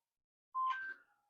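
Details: Minelab GPX4000 metal detector, during a variable-frequency and lower-noise front-end modification, switched on with a battery that had just indicated it was going flat: short two-tone chirp at switch-on, then silence. Normal power-on tune.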